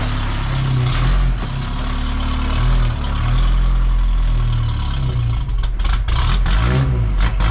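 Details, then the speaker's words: 1985 Toyota 4Runner after engine rebuild: engine surges and sags unevenly, then stumbles with ragged, stuttering firing and dies; rough running and stalling traced to an unplugged connector behind the ECU. "I figured out the 4Runner. There was a plug that was unplugged behind the ECU that was making it not run properly."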